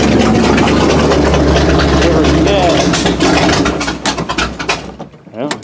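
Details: 1979 Chevy K20 V8 with an open pipe, trying a used "rebuilt" carburetor never tested before, after the old carb dumped fuel. It barks into life, runs lumpy, stumbles and dies within seconds; the carb is leaking and flooding, and timing is suspected off.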